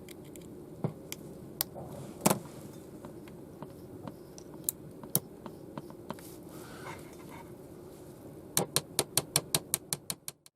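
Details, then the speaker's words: Fidelity Floret 7-transistor portable radio, dead on arrival, powered by battery into an external speaker: sharp irregular pops and clicks over faint hiss, no audio; intermittent popping blamed on a dirty switch. "Can you hear the popping? That sounds good. Dirty switch."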